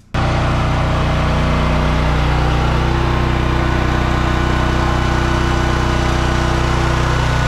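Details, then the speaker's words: Home Depot portable generator (30 A at 220 V) feeding a well-pump house through a 14-50R outlet during a simulated outage hums steadily at constant speed, no hunting or misses, while powering lights and refrigerator; running healthy. "refrigerator is running everything's good the generator you can hear it humming in the background"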